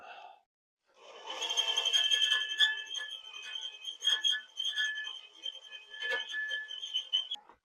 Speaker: Sounds like it's cutting very well. That extremely high-pitched noise means it's working efficiently and not burning up this drill bit.